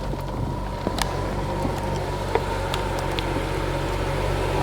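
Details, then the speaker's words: 2015 BMW 640i after new battery and battery relearn with scan tool, check engine light cleared: even, steady idle hum with no knocks or misses. Healthy normal idle, fixed. "As you can hear, the engine is running. All is well, this is good."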